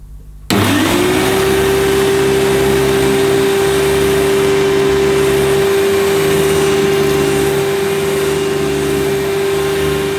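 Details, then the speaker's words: Hoover Futura S3563 canister vacuum, US import: motor spins up quickly to a steady even hum with the power nozzle running; headlamp doesn't work but vacuum runs fine, belt may need replacing. "well yes as predicted the headlamp doesn't work but I was such a shame because it seems to work fine"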